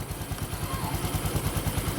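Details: Honda XRM 125 FI single-cylinder engine idling after repair of a clutch damper rattle, with an even, steady low putter and no rattle; noise gone, stock sound.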